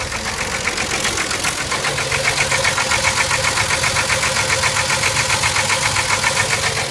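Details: 1989 Jeep with Renix 4.0 engine at idle, loud regular sharp metallic knock at about 150 per minute; deep internal engine knock, engine deemed finished and needing replacement.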